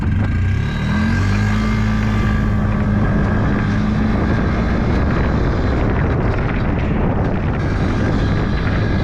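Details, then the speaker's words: Yamaha G1 two-stroke golf cart after a full engine rebuild, driving forward: steady, even, crisp drone holding pitch under load, with no misses or rattles. Runs good. "actually I think I'll just leave it because it runs good it's fine"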